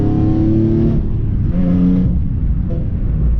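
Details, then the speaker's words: Nissan 350Z with the Y-pipe's flex section blown, before the Z1 Y-pipe is installed: loud, raspy revving rumble rising and falling with throttle, far louder than it should be, like a tractor; exhaust leak. "all right so i want to give you guys an example real quick oh what my car sounds like it's pretty bad is way too loud for what it should be"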